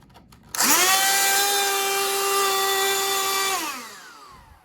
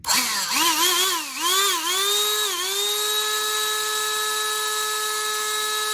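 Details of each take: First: Old Black+Decker CHV1410L 16V Dustbuster cordless vacuum, with bad smell: motor spins up to a harsh buzzy high whine, holds and winds down; abnormal motor noise, owner suspects the motor brushes. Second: Black+Decker Dustbuster 16V CHV1410L, opened and cleaned, tested before closing: a few stuttering starts, then a clean steady motor whine until switch-off; the earlier bad noise is gone, normal motor run.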